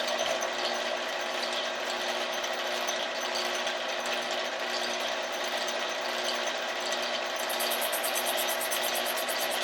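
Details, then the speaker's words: Cylinder boring on a 1948 Kwik Way boring bar for a chopper, after adding about three thousandths depth of cut: steady, even cutting hiss with no gaps, so the tool now cuts all the way round the bore. "get a he returned and it sounds like it's putting all the way around"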